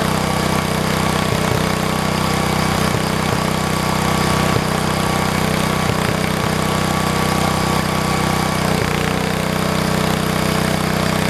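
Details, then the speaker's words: 1973 112 tractor with new points, coil, condenser and carburetor, throttled up: steady single-cylinder running with periodic stumbles; intermittent miss, appearing when the clutch is pushed. A loose wire sparking to ground was separately fixed. "You can hear it. It's kind of got a miss to it. I don't know if you guys hear it or not, but I can."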